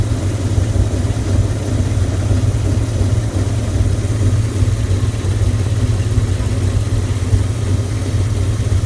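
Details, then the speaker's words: 1998 Dodge Ram 5.9L Magnum V8 with new valve seals and cracked catalytic converter, lumpy uneven idle with a nasty misfire and much blue smoke that clears after driving; no overheating or oil pressure loss; cause unconfirmed. "it just has a really nasty misfire and a lot of blue smoke"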